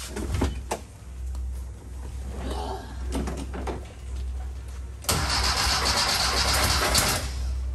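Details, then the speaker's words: 1968 VW Baja Beetle after wiring and starter fixes: engine catches, settles into steady low idle, then revs sharply; starter engaged this time though it later proved intermittent. Normal engine start. "i got it running again finally"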